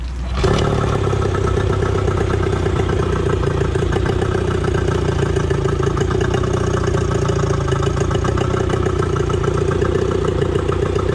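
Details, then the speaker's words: 25 hp two-stroke outboard after rebuild with carbs and pull cord reinstalled: crisp even buzz at steady idle, no misses, knocks or rattles; normal running. "they run really good i've never had a problem with them and they're super reliable"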